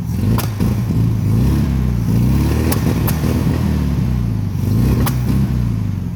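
Air-cooled flat-four running with a lumpy, uneven exhaust beat and skipped pulses as it revs: a misfire on one cylinder.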